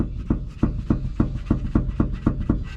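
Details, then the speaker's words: Lexus IS300 at about 300k miles, rocking rear suspension: sharp hollow clunks about three per second as the knuckle moves while the lower arm doesn't; worn OEM rear knuckle lower spherical bushing, replaced with aftermarket one. "the lower arm is not moving but the knuckle is moving so that is a good indicator that that lower spherical bushing is bad and needs to be replaced"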